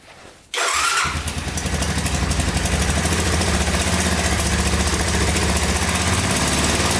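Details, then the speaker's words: 1985 Honda ATC250SX three-wheeler just fired up on fresh gas: a lumpy idle with a fast, light top-end ticking. The owner suspects valves needing adjustment or the cam chain, maybe a gas tank rattle, and it is smoking a little. "oh yeah fired right up i hear a little knocking in the top end here though i think [Music] [Music] valve probably need to be adjusted"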